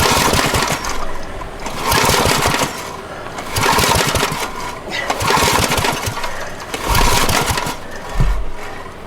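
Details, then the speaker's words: Abandoned water-logged Generac generator: repeated pull-start strokes about every 1.5 seconds, engine spins but never fires. No spark, later traced to the oil shut-off kill wire being tucked away and grounded. "No fire. Let's start digging to see if we got spark."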